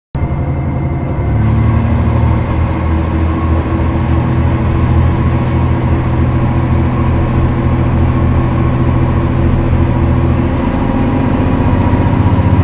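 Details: Isumi Railway Isumi 300-type diesel railcar 302 pulling away: heavy diesel drone building with steady low tones and a faint droning overtone on top. Unusual acceleration noise of unclear cause.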